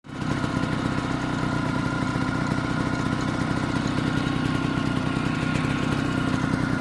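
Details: Vespa PX two-stroke idling after a new clutch was fitted: an uneven chattering rattle riding over the engine beat; abnormal noise that appeared after the clutch change.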